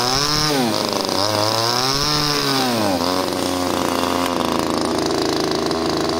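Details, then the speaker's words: Subscriber's pruning chainsaw after lowering the idle screw and adjusting the low-speed screw: revs up cleanly twice, pitch rising and falling smoothly, then settles to a steady even idle; idles and revs well, not yet tested cutting. "Bueno ahora la máquina ralentiza bien levanta bien las vueltas"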